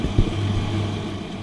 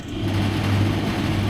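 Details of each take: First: Electrolux/Simpson 39P400 3.5 kg dryer after repair (door catch striker plate; start capacitor, heater thermistors and door catch checked): steady low drum hum and even motor drone with no knocks, scrapes or squeals; running smoothly, normal operation. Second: Electrolux/Simpson 39P400 3.5 kg dryer, door catch screw missing: after the start capacitor tested within spec (7.95), closing the door gives a motor hum that runs a couple of seconds then drops away; drum spins if lifted, the mechanical press-button start interlock is failing.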